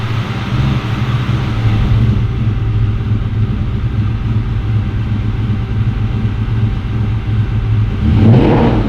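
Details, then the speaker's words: 2003-2004 Cobra V8 with Gen 5 Whipple supercharger, first start-up: deep heavy rumble held at a steady high idle, rising briefly at the end; fired up, sounds strong and even. "we've got these up and running she fired up it sounds great"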